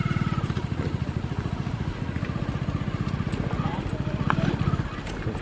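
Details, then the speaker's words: Hero Passion Pro after clutch plate replacement: even, quick exhaust beat from the small single idling and pulling cleanly, no grinding or rattle from the clutch side; earlier noise on clutch release after gear changes is gone. "Gear change करने के बाद कल छोड़ता था घर से आवाज करता था अभी वैसा कुछ आवाज नहीं कर रहा [संगीत] है बिलकुल स्मूथ चल रहा है अभी कोई दिक्कत नहीं है"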